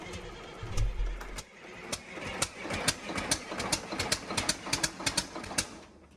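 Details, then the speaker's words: Freshly rebuilt Caterpillar C11 diesel from a front end loader, first start attempt after installation: brief rumble, then irregular ticking and chuffing as it cranks without catching, with black smoke; fuel pressure only about half of spec. "We blew a lot of black smoke and the engine did not start, obviously. We didn't build fuel pressure. We had about half the fuel pressure we should have there."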